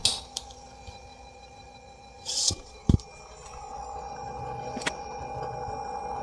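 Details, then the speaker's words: Amplifier with a Bluetooth MP3 module powered from the main amp PSU via a 7812 regulator and 2 W resistor instead of a separate transformer; microphone near the speaker picks up a loud, steady high-pitched whine with low hum, staying constant under clicks, from the shared power supply. "ini ada suara nging keras sekali teman-teman ngingnya itu berisik sekali"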